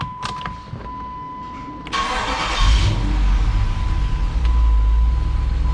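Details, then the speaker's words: 2007 Jeep Grand Cherokee SRT-8, 6.1L Hemi, stock parts, check engine light on: starter cranks briefly, then the engine settles into an uneven, stumbling, lumpy idle and drives poorly; misfire, rough idle. "The next thing that we notice is that indeed it does not run so well. And I noticed when I was pulling it in that it doesn't idle very well."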